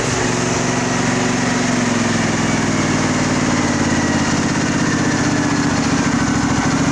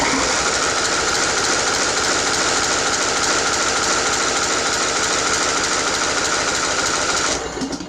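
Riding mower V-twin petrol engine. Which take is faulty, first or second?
second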